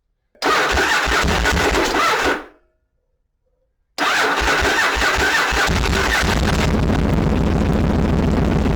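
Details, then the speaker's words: Yamaha Virago bobber with small gel battery, below freezing, after adding a TCI voltage stabilizer: engine catches and runs lumpy then steadies, a rough start because it was flooded from an earlier failed attempt. "do there we go a little bit of a rough start because it was flooded from not firing a minute ago but it did fire up it kicked right over"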